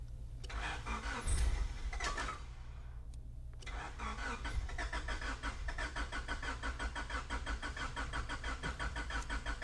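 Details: 1995 Honda Accord towed in, non-OBD: starter spins engine at steady even cranking beat for several seconds but never catches; crank no start, cause still being diagnosed.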